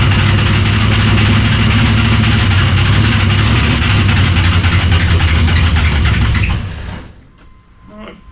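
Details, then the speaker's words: Cold V8 (shop project, fans not hooked up) idles with a fast, steady slapping racket up front until shutdown; accessory belt found very loose and then tightened. "Oh, all right, makes sense. This belt down here is loose as anything. So let me tighten this up, and I'll get back to you."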